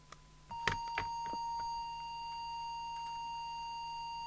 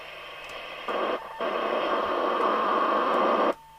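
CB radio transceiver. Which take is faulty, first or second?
second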